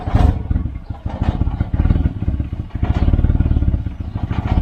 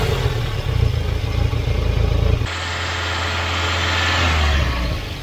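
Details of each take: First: Volvo 940 Turbo, recently purchased, rough cold idle (description blames bad fuel pressure regulator): uneven puffing chuff at each firing pulse from an exhaust blow, described as loose exhaust near the manifold; exhaust leak. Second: Volvo 940 Turbo after fitting a replacement fuel pressure regulator: catches and idles a touch high at first from excess fuel left in manifold and cylinders after running rich, then evens out smoothly with no misses or knocks.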